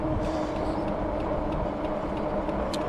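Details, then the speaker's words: New Magicycle Cruiser 26x4-inch fat tire e-bike on its first ride; faint light clicks, about three per second, under riding and wind noise from a bent disc brake rotor rubbing, owner hopes brake break-in helps. "you can hear that clicking i believe that's the rotor maybe we can get that to stop after we break in the brakes a little bit"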